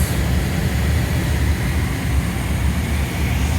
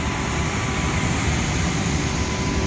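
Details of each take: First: Two-year-old 100-ton Trane IntelliPak rooftop unit after static pressure fault fixed: deep, even fan roar, steady with no surging, droning or rattling; normal blower operation. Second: Two-year-old 100-ton Trane IntelliPak rooftop unit, supply blower at 100 percent while reading only about 1 inch static against a 2-inch setpoint, economizing: constant heavy roar of rushing air with deep rumble; blower flat out from false low static reading.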